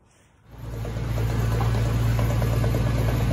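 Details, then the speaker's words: 2002 Chevy Silverado 1500 4x4, whole truck raised, drivetrain turning in neutral: a light, regular click three to four times a second over a low rolling rumble, first suspected from the transfer case, found to be a bad driveshaft U-joint. "today we're chasing down a click in this 2002 chevy 1500 it sounded like it was coming from the transfer case to the rear end we'll check it out"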